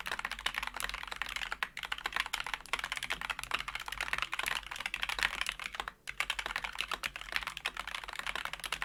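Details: Wooting keyboard with Flaretech switches, lubed and filmed, sound-tested on a new desk: quick, even, muted clacks with no spring ping or stabilizer rattle; smooth, well-lubed switches.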